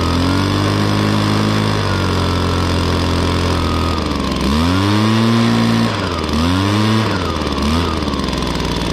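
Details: 2016 Echo PB-265 blower with a 25.4cc two-stroke engine: a high buzz holds steady, then quick throttle blips rise and fall cleanly without hesitation. Normal running.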